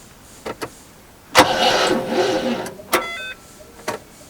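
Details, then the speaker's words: Rover SD1 just fitted with a later 14CUX EFI system, first crank on a supposedly new battery: a couple of clicks then a short, labouring crank that dies without catching; battery too weak, jump start needed. "Well, that's a good battery, isn't it? That's supposed to be a new battery."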